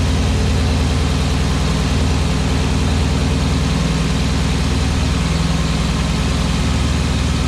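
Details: Porsche Cayenne Turbo 957 V8, cold start, idling with a deep, fast throbbing and a rough clattery overlay; abnormal cold-start engine noise, cause unclear.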